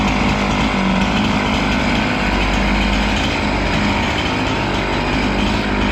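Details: Husqvarna 268 two-stroke chainsaw, which stalled once warm and would not restart, cutting after air intake check: holds a steady high buzz through the cut without sagging or cutting out. Normal running under load.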